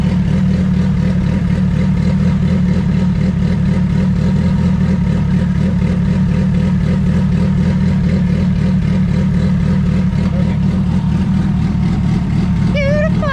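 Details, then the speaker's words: Turbo D16 Honda EF hatch, GTX3576R turbo, first start, while ignition timing is set: steady even idle around 1000–1200 rpm with loud exhaust drone, no misses or hunting. Normal idle. "now we can turn the idle up a little bit because it's probably about a thousand thousand twelve hundred"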